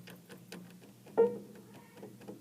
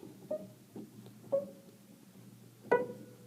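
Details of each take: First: Piano keys worked by hand without hammers hitting strings: faint light ticks, clicking on some keys caused by loose whippen flange screws; fix is tightening the screws, a regulation step. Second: Piano after tightening loose whippen flange screws, likely loosened by uncontrolled humidity in a school: four notes ring out cleanly with no clicking or knocks as keys go down, confirming the screws caused the clicking.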